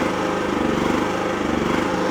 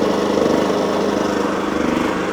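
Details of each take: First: Wolf generator, serviced with fresh oil, getting low on fuel: speed rises and falls slightly every fraction of a second, a hunting surge the owner calls a funny noise from low fuel; fuel checked to avoid running dry. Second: Wolf generator, bought used with carburettor previously cleaned, running after an oil change and mini service, green light on: steady, even engine note with an unchanging rhythm, no misses or knocks; normal running.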